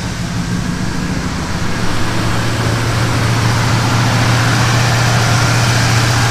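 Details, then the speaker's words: 1977 Chevy C10 after a broken rocker arm and pushrod. It runs lumpy like a misfire, about three and a half uneven pulses a second, popping back through the carburetor on light throttle. Possible damaged or bent valve suspected. "let me show you what I mean by it's running rough and you can hear it kind of puffing up back through the carburetor"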